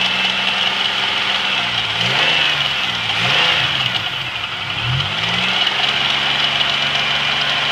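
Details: GM 3800 V6 with 237,000 miles, noise began the night before: fast, uneven ticking over a steady idle with a bright, hissy top end. Valvetrain tick; owner suspects a collapsed lifter, unconfirmed.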